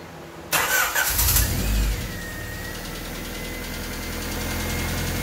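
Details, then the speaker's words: Honda D16Y8 with chipped P28 ECU on base map, distributor timing set to 16 degrees, cleaned IACV reinstalled and new spark plug wires fitted: still a hunting idle that sags, stutters and nearly stalls off throttle. "it's still running kind of weird um still having that hunting kind of idle um stuttering and almost kind of failing"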